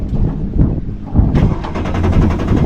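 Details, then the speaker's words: Cox 300 hp V8 twin-turbo diesel outboard on patrol demo boat, sea trial just after start, running slowly: deep even diesel drone rising cleanly when throttled up, wind noise, no knocking; smooth normal running. "oke mesin jalan kita kalungin dulu ya kita jalan pelan-pelan yaah halus ya suaranya"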